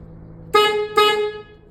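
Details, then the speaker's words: 1972 Chevy C10 horn after replacing horn and relay and checking power and ground: two short, clean blasts with steady strong tone and quick cutoff; horn working properly. "It's working. And that is how to replace two issues on the horn side of things on this truck, but at least she's fixed. Horn relay good to go."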